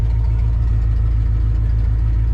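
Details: 1984 Ford F-150 302 V8 after new oil pump installed, open headers, slight rear main seal leak: deep, even, loping idle with steady rumble and no ticking or knocking; engine sounds healthy.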